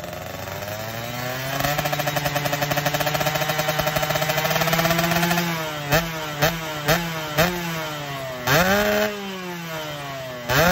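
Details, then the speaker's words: Yamaha RX King two-stroke motorcycle, all parts new: choppy stuttering with short cuts at high rpm while riding, yet clean when revved standing still; a new spark plug did not cure it. "nah itu juga yang saya alami guys motor ini tersendat-sendat di RPM tinggi dalam posisi jalan aja tapi kalau dalam posisi bler-blayer motor ini normal ini dia"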